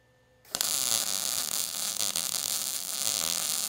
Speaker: you can hear some of the popping that was going on with that I was meaning I was hitting that men I was hitting some spots there for the most part that's not too bad of a a weld